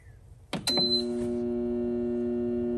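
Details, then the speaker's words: New dehumidifier after sitting overnight: steady low electrical buzz with fixed tones at switch-on, never builds into a running hum, same as the previous unit; compressor locked up. "um it doesn't work hear that buzzing it's the same thing the other one was doing [Music] are you kidding [Music] yeah the compressor's locked up"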